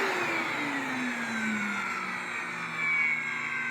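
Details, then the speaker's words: SEBO Felix Premium upright vacuum, about 10–12 years old, water-damaged suction motor: whine sags at lowest speed with a rough gritty rasp over it; suction motor in bad shape, failing bearings, to be replaced. "That is not a good sound. That is a SEBO Felix in pain."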